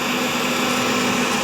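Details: Laundromat gas water heater whose fan motor had fried, now firing up at its set temperature; draft damper tested fine. Steady, even whoosh with a constant hum and no rattle or scrape: the inducer fan spins freely and the burner lights.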